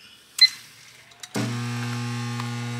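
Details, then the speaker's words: Under-cabinet microwave, keypad beep then on start a loud steady low hum with rough buzz from the power supply; door switches ruled out since it starts: shorted high voltage transformer buzz. "now you can hear that noise that it's making like I said hear that noise from that power supply I can actually tell because of the noise because of this being unplugged that that's what's a matter with it"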